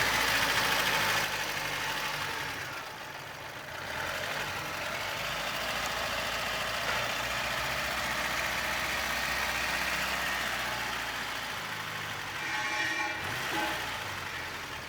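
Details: 2000 Lada Vega 1.5, engine run after a service, with a stretched tensioner rubber and belt rubbing found: steady, even idle with a light regular tick and no misses or knocks. No coolant leak found, runs healthy.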